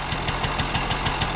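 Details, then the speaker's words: 1980 Benelli 3 V K Export two-stroke moped idling cold just after start with sharp, even puffs about six a second; the crisp ticking edge points to a small exhaust leak, judged harmless. "piccola perdita nello scarico bene niente di male"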